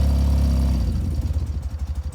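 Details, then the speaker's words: 1993 BMW R100GS Paris Dakar, 75,828 km, recently serviced, started without choke after a short ride: low smooth twin idle sags into slow lumpy pulses and dies because the engine was still a little cold; otherwise healthy, normal idle. "Comme je l'ai dit, elle s'est coupée parce qu'elle était un petit peu froide."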